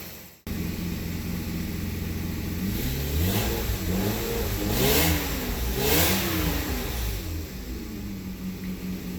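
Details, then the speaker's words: 1991 BMW 750iL E32 after long sitting, with old gas and rough running, revved three times: loud, coarse, tired exhaust note over slightly uneven idle; owner says it needs a new exhaust and tune-up, cause unconfirmed. "this thing's definitely gonna getting an exhaust soon"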